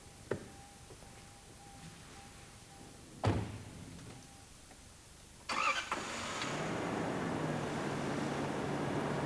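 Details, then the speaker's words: Toyota TCCS engine after replacing the open high-tension cord on cylinder 7, which had no combustion and caused a rough idle: a couple of clicks, then the engine catches and settles into a steady, even idle. The rough idle has stopped. "rough idling stops. So, the source of the problem was the damaged hightension cord."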